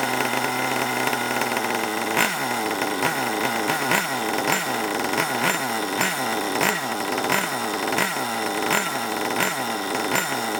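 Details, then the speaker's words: Long-stored HPI Savage 21 nitro RC monster truck, possibly water inside, last tuned richer for winter; buzzy blips about twice a second, each falling back lazily and burbling; running very rich and needs leaning. "you might have to give it a little bit of an adjustment because uh it's very rich at the moment"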